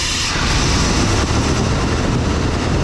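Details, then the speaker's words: OBS Chevy truck engine run on a bucket fuel supply, one injector clogged, old wire-brushed plugs: steady, even rumble with no knocking or ticking; mechanically healthy. "No knocking, no ticking, no nothing."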